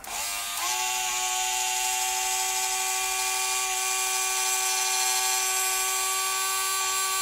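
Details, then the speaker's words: Motorized Walthers bascule model bridge gearbox run with loose linkage rod, bridge moving smoothly; steady high-pitched motor whine at one pitch, no grinding or clicks: running normally. "so you can hear that it goes up and down very smoothly"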